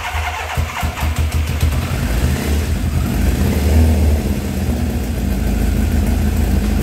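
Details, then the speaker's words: 1984 Kawasaki ZX900 motorcycle, sat about 5-6 years, first start: cranks and catches, then runs lumpy and uneven with irregular popping as revs wander; carburettors flooding the engine with sticking floats, spitting raw fuel. "okay so the carburetors are a mess um the floats are sticking i can tell it's flooding the engine out um it actually was spitting raw fuel out right here"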